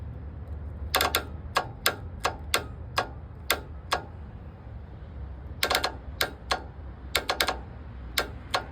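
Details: Starter solenoid, battery hooked up, 12 V measured at its output: sharp dry clicks in short irregular bursts with no motor turning, since the starter is not yet fitted; the solenoid works.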